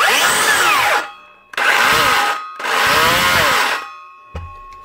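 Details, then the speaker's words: DeWalt 54V cordless circular saw (DCS577) spins up in short bursts with a rough, gritty grind, heard only sometimes; suspected bearing or gear, traced to a failed bottom motor bearing (6002), replaced. "of course she only making that sound sometimes and not all the time I'm going to say it's probably a bearing"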